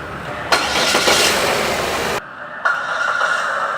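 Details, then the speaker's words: 2015 Chevrolet Trax petrol engine, previously P0300 random misfire, after checking spark plugs and refitting the ignition coil cassette: starts and settles into an even, steady idle with no stumble or misfire. "the engine is looking nice normos fire no need to say everything as well thanks for watching"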